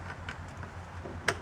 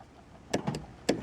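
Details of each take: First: 2006 Honda CR-V, newly replaced passenger-side door lock actuator tested after installation: short, crisp clunks as the lock cycles down and back up, each stroke quick and complete with no buzzing or hesitation; the actuator works properly. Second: 2006 Honda CR-V passenger-side power door lock, which locks and unlocks by hand: two short, faint whirring buzzes with no lock clunk, so the actuator tries but doesn't move; faulty actuator suspected before replacement.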